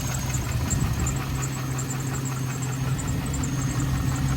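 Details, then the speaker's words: Chevrolet TrailBlazer SS V8 warming up at idle, first drive after purchase: steady idle with light, quick tapping up top and a slight belt squeak; owner unsure whether a lifter is ticking. "has a little bit of a squeak in the belt sounds like there's a little tappy tap up here i don't know if the lifter is getting more but"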